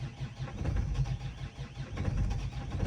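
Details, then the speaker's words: Great Wall Hover H5 with 4D20 diesel at 213,000 on the odometer, injectors recently repaired per owner: uneven low chugging, loping and stumbling for three seconds before catching, clattering; hard start, injector problem suspected. "Well, starting, you hear the start, a very lousy engine with a clattering noise, there’s most likely, of course, also a problem with the injectors."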